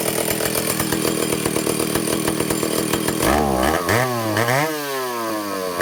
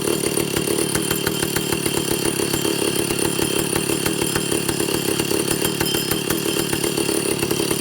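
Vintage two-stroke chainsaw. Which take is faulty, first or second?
second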